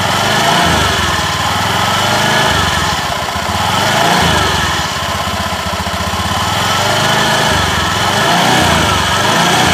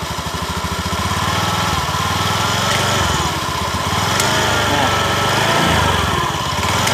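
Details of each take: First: Honda Beat eSP scooter CVT after replacing worn clutch shoes, clutch plate position checked: steady engine buzz with only mild swells and no rattle or scraping from the clutch; normal clutch operation. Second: Honda Beat eSP scooter CVT, pulling away at light throttle: rough rhythmic clatter three to four times a second, gone once moving and normal without throttle; source found at clutch bell and worn-out clutch shoes.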